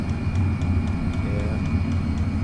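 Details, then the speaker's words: Chinese diesel heater with a 5 m extra-long 22mm copper exhaust, starting up: steady low combustion roar with soft regular ticks about three a second from the diesel fuel pump; normal running. "the little uh Ticky noise you've got in the back there is the the diesel pump as it starts up can be a bit annoying that uh the ticking noise"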